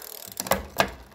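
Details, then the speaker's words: Lankeleisi X3000 Max fatbike, dual 1000 W hub motors, after rear brake adjustment removed rubbing noise: two crisp quick clicks as chain drops cleanly onto next cog while shifting through the gears, no grinding; shifting healthy. "je vais en profiter pour vérifier que toutes les vitesses passent donc on va se mettre déjà en première donc là première c'est bon hop je passe la seconde impeccable 3è impable 4e impeccable 5è"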